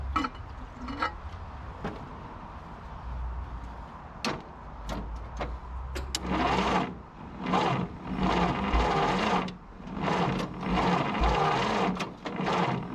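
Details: 1951 Willys CJ3A Jeep, off road since 1969, 6-volt battery, rotor refitted: slow starter churn about two strokes every five seconds with the odd weak pop, nearly catching but won't start; cranking, no start.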